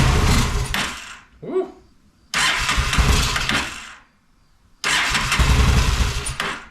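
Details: Honda Shadow motorcycle (possibly 650) that sat almost a decade, old bad gas, on choke with fuel sprayed in: catches and revs in three roughly two-second bursts, then dies; not getting fuel on its own, cause suspected, not confirmed.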